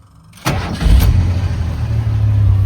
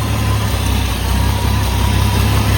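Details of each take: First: Carbureted old Ford truck after an engine swap, barely warm, no choke: short crank, catches instantly, no hesitation, then a low, slightly lumpy uneasy cold idle. It starts this quickly cold too; healthy quick start. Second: 1982 Ford F100, carbureted, barely warm with no choke fitted: low lumpy idle with uneven beat and slight speed wavering because it's still a little cold.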